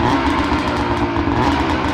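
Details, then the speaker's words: 13-year-old race snowmobile (two-stroke) with a bog issue when warm, power valve sticking suspected: warmed-up engine now buzzes at a steady pitch without stumbling, sounding much better though still not fully sorted. "sounds so much better it does sound great"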